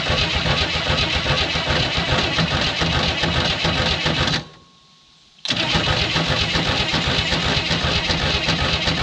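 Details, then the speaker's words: 1967 Chevy II Nova, sat 30 years, cranked with fuel line disconnected and no added fuel after flooding. Steady even starter cranking, pause, more cranking, never fires. Owner suspects it is badly flooded. "so i may just be way too flooded at this point i may have to wait a couple days"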